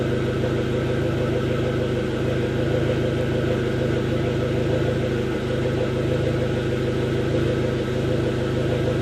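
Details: 2005 Dodge SRT4 with intermittent stalling and hesitation on acceleration: idle wavers and stumbles unevenly, a lean rough idle; fixed by replacing the faulty upstream oxygen sensor.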